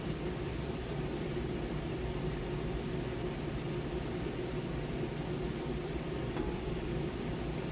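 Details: Trane AC condenser newly replaced fan motor, after burnt-out original: steady, even whoosh of air with a low hum and no rattle or scrape; fan runs smoothly and healthy.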